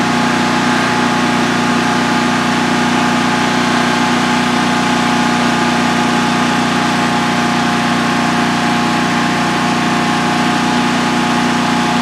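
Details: DuroMax XP15000HX generator on propane, newly installed in a shed, second start, exhaust fan off, five-minute test run: steady even drone, constant hum, no knocks, misses or surging; idling cleanly, no issues.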